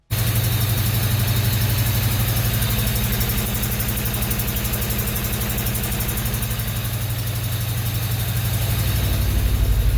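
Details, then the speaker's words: 1995 Honda Civic with a traded-in replacement engine, started after fuel pump troubleshooting: steady idle with an even exhaust putt about four times a second, attributed to a burnt-out valve. "engine so you probably could hear the putt happening there um that is a burnt out valve"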